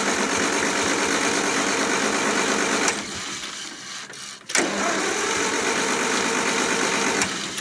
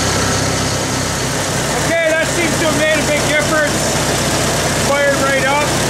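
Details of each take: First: 1974 International IH 354 tractor in winter, around 0°C after -30° nights: starter churns about four turns a second, pauses, churns again without firing; no spark, later traced to a frayed, likely shorting points-to-coil wire while checking cap, rotor, points, coil and condenser. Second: 1974 International IH 354 gas tractor after a no-spark ignition fault, condenser replaced, rotor and cap refitted: steady, even idle with no stumbling or misses, only some squeaky noises over the top. It runs fine now.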